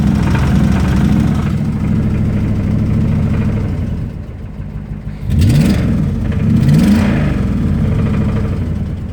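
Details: 2005 Ram Hemi V8 idling then blipped: dull knock through idle that follows revs; rod knock.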